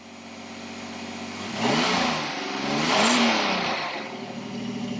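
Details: 1986 Pontiac Fiero after ignition module repair for crank-no-start with no spark: engine picks up cleanly and revs twice, rising and falling smoothly with no misfire or stumble; running normally.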